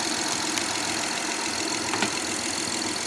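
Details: 2011-2017 Honda Odyssey, first start after timing belt kit replacement (over 12 hours of work): even, steady idle with a light, regular valvetrain tick, no slap or rattle; normal idle.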